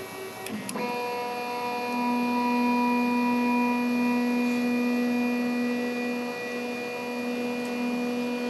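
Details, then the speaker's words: CNC machine homing cycle with stepper motors: sharp clicks as axes bounce off home switches, then steady even stepper hum as axes travel; normal homing, switches working. "when it does it if you listen closely you'll hear the as it bounces off the home switches you can hear them click"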